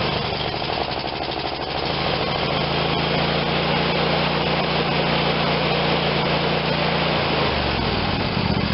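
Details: Craftsman YS4500 tractor, Briggs & Stratton 22hp OHV Intek twin, after full carburetor cleaning and reassembly: steady even drone with no hunting or stumbling, settling smoothly with throttle changes; normal running without choke, previously needed choke even at full speed.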